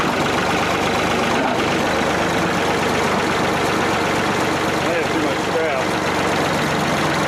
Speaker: yeah like my rat killing the way a old piece of equipment's supposed to sound